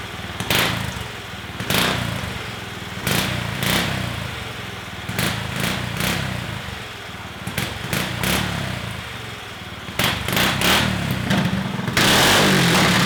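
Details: Stage 2 Predator 420cc single-cylinder golf cart with a makeshift flex-conduit muffler, not airtight and leaking: muffled exhaust with repeated brief revs about every second, runs fine; engine running with makeshift muffler.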